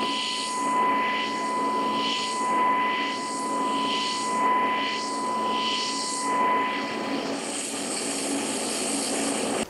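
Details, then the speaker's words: Everlast Typhoon TIG welder, DC TIG with 1000 Hz pulse, fusing a lap joint: steady, very stable high-pitched whine near one kilohertz over soft hiss, sounding almost like AC; normal fast DC pulse arc. "it actually starts sounding it starts sounding like you're running AC because the pulse is so fast and the frequency and the pitch is so high it kind of sounds like you're running AC even though you're on DC"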